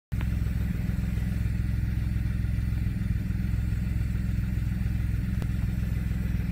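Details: 2007 BMW 335 idling with a lumpy, uneven pulse, a misfire. It began after winter storage and a valve cover gasket change, with fault codes set.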